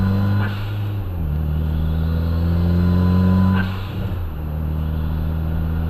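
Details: After installing a 2J front-mount intercooler, a trumpet-like honk appears at full throttle above about 8 psi boost; strong low tone sweeping up and dropping at each gear change, possible boost leak; dash cam audio.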